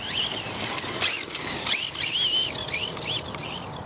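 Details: Vitarra Glamis UNO RC car on its first run after a differential rebuild: high motor whine rising and falling smoothly with each throttle burst, no grinding or clicking; normal drivetrain running.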